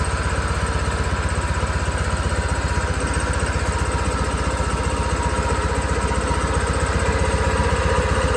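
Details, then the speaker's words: John Deere 318 garden tractor small twin after carburetor cleaning to fix surging: steady, even low thump, no surging, picking up slightly as throttle is raised. "Oh man. Hey, that that runs real good now. So, this just need a little bit of carb clean."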